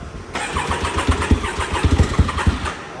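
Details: Can-Am X3 with a new FP Green turbo, started right after the fuel pump was fixed: starter cranks briefly, the engine catches cleanly and settles into a lumpy but steady idle.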